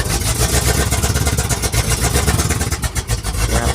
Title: dodge charger 2017 model misfire no engine power